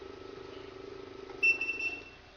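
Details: Top Counter 9600 portable banknote counter with counterfeit detector, on 220 V AC and switched on at the rear switch: quiet whirring, then one short high beep as it settles. This is a normal start-up self-check, and the LCD shows 0, ready.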